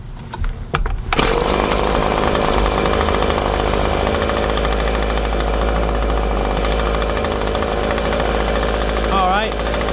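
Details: Echo ES-250 leaf blower (same engine as PB-250) held wide open while the high-speed mixture screw is turned left: a steady high two-stroke buzz that wavers as it clears up. Bogging and lack of power from a lean high-speed mixture.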